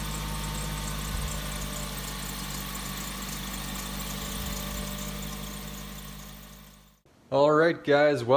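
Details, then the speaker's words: Suzuki SX4 in extreme cold near -40°C, plugged-in block heater plus newly installed battery charger: starts easily in the morning and settles into a steady, even idle with no stumble; charger fixed the cold no-start. "you could see the Suzuki started no problem in the morning so installing that battery charger it did the trick"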